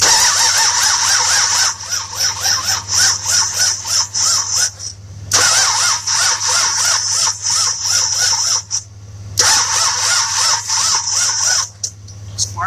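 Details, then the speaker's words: 1966 Buick Riviera GS, 425 Nailhead with HEI distributor, crank no start while checking spark: starter cranks in short chirpy, uneven bursts about three turns a second, never catches; owner suspects it's not turning fast enough. "is there it's really inconsistent i want to say part of the problem that it's not turning fast enough but we'll see"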